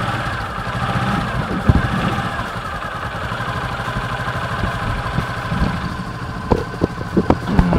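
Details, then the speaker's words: Honda Supra 125 after conversion to a manual clutch, idling before warm-up: steady idle with a low, even humming drone under the firing pulses and light clacks; gear behind the centrifugal clutch housing suspected, possibly turned too far, not confirmed. "Ada suara bengung ini ada kemungkinan petani kita tunggu panas dulu ya supaya stasionernya stabil dulu"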